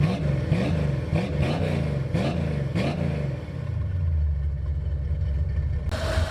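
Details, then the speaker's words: 1984 Mustang GT350 V8 after transmission, cooling, tune-up and exhaust work, crossed plug wire corrected, cold start mid-morning: deep even burble with light blips, settling into steady smooth idle, no misfire or popping; sounds healthier. "Yeah, this is a whole lot better than what it was, man. That's where it should be. That sound just sounds healthier."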